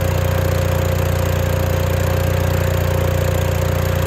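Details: Case 1816C skid steer that sat 10+ years in a barn, now running after repeated cranking on a battery charger: steady, even low chugging about 220 beats a minute with no misses or knocks.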